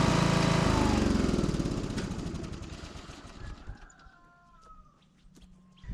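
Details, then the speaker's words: 1979 John Deere Model 68 five-speed riding mower, revived after years unused and a leak fix, cutting weeds: steady, even single-cylinder chug fading as the mower moves away, pulling the load without stumbling; normal running. "Yeah, for being a junk old mower, it cuts pretty good."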